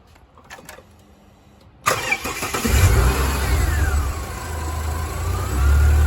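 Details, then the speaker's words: Ford XR6 Turbo, owner reporting a noise; quick crank, fires and settles to steady even idle, no knock or rattle, A/C compressor cutting in is normal; noise later suspected to come from thermo fan: normal start and idle. "the moment it sounds normal. That's the compressor cutting in, normal."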